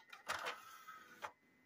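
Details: Xbox 360 from a lot of four (three Xenon, one Falcon), bone-pile console freezing on a newer dashboard: a few soft mechanical clicks, then a brief smooth spin-up whir that settles quietly; the Hitachi disc drive works and reads discs normally.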